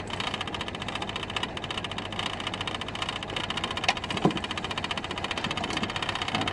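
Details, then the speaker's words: Citroen 2CV idling with a light tinny rattle and sharp ticks; metal touching metal where a rubber grommet has come out. "It seems to be coming from there, and I can't pick it's there, isn't it? I think that there's metal just against metal."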